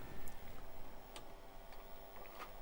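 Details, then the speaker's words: Tandy 1000HX with a modified standard floppy drive replacing the damaged non-standard one, booting MS-DOS 2.11: faint, irregular head-seek clicks over quiet room hum; drive reads normally. "I hear it doing stuff. Clicky, clicky, click. Yes, it's working."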